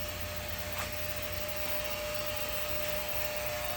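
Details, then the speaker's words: Ultrasonic cleaner running with truck tail lights inside being cleaned: a steady, even buzz with a constant mid-pitched tone over a hiss, which is normal operation. "I don't know if you can hear that buzzing in the background it's sure annoying to me but um I got the lights in the ultrasonic cleaner"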